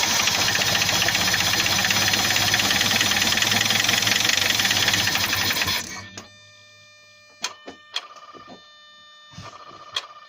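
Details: Lacetti engine: rapid regular knock, roughly four per second, over the idle, stopping when the engine is shut off; internal knock of unknown cause, owner asking what it is.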